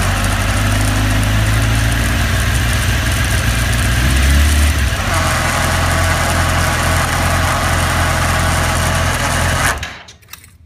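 Engine catches and settles into a fast, uneven idle with a low drone and a faint irregular beat, then shuts off; cause unclear.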